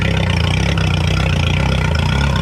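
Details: Outboard idling after its high-pressure fuel pump was replaced and fuel cleaner added; it had been dying and hard to start. A steady low idle with a smooth regular pulse and no misses or knocks. Normal idle.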